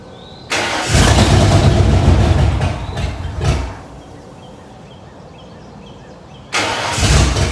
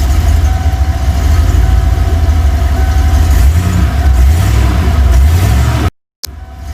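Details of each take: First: 1994 Ford F-150 after 302 V8 engine swap (new oil pump, timing chain, injectors), first start: rough, lumpy, stumbling beat before settling. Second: 302 V8 after engine swap, once the rough-running problem was sorted: deep, steady rumble with an even low beat, no knocks or misses, then shut off; sounds healthy.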